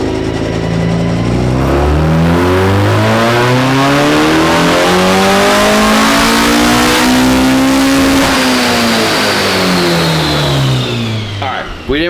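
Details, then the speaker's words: Naturally aspirated ITB engine on the dyno, full-throttle pull while cold: revs climb smoothly about eight seconds then sag before the top; intermittent fuel starvation, pump-to-hanger fuel line found apparently faulty. "really make it through the first pull. We still had a feeling issue that we had in the last video. It was kind of intermittent."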